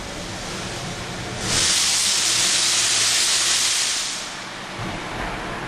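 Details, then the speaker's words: 1998 Mercedes E320 driving after a disintegrated passenger-side catalytic converter blocked the exhaust and a hole was pierced in the pipe: a loud, airy hiss swells for seconds over a soft engine hum; exhaust escaping through the hole, the car otherwise drives fine. "okay so I'm driving the car and it actually drives fine except that got the hissing sound"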